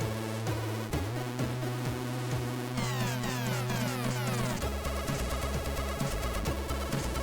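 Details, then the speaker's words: Repaired Commodore 64 playing a SID music test: clean, lively chiptune with a steady bass line and clearly audible background notes, unlike another C64 whose SID filters make notes too quiet; this SID sounds exactly as it should. "yeah so this sounds exactly like I would have imagine should sound on this one really really good"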